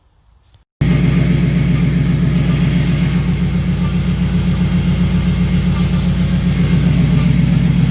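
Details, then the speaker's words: Turbo BMW E92 M3 after clearing all 32 codes with a scan tool, restarted from off: engine catches and settles into an even, deep, lumpy idle with steady pulses and no misses; runs perfectly, though the scavenge pump is loud. "We started her up, and perfect, like perfect. Even the video before, the sound was a little off, I felt like, but it was perfect."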